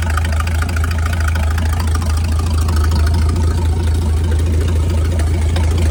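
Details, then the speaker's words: Mid-1950s Chris-Craft Model W (marinized Hercules WXLD) inboard in a 1940 23-ft speedboat, after overhaul following an oil-pressure-loss failure, run for a while to check for issues: steady even low rumble, no knocks or misses; normal running. "Oh, here's the old W up water tour. Going to let it run for a while. Make sure there's no issues."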